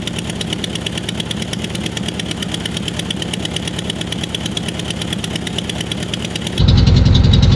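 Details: 1966 VW Westfalia SO42 split-window bus, off the road since 1987, running after static timing: quick even chuffing idle about 3.5 beats per second, steady and unbroken, then louder; normal idle.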